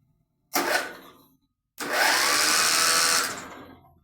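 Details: Contax tractor engine being revived, spark plug out for a spark test: quick, smooth whirring spin with no heavy compression beats; starter turns the engine freely and strongly, and a spectacular spark follows.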